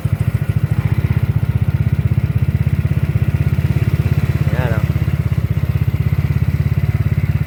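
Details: Yamaha Mio Soul GT 125 scooter with hybrid 200cc setup and sporty head block, just started and needing choke: small single putters at a quick, even beat, steady low exhaust note, no knock, very quiet and healthy.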